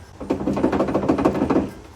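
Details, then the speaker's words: John Deere D125 lawn tractor, 42-inch deck, owner reports loose spindle on one side; blade rocked by hand gives quick hollow metallic clunks: worn lower spindle bearing, to be replaced. "So the owner said that it's got a loose spindle here, so I'm going to take a look here. She said it's on this side, so I'll wiggle this here."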